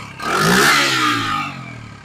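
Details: 1974 Honda XR75 dirt bike on choke won't idle: engine flares to high revs then sags unevenly instead of settling; idle jet changed from factory 38 to 35, needles and slides swapped, float adjusted, air and idle screws untouched; cause unknown.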